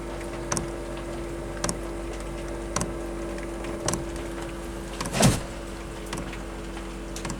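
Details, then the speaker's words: Chinese diesel heater for a camper van, fuel line already primed: sharp single ticks about once a second over a steady fan hum as the fuel pump starts feeding fuel at ignition temperature, normal clicking. "I've already got it primed. It's clicking."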